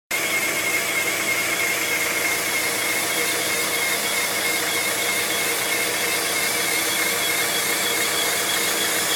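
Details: 1997 Honda Prelude SH manual transmission: a steady high-pitched whine over a hissy idle, cause unknown; owner previously had a bad throw-out bearing and says it did not sound like this.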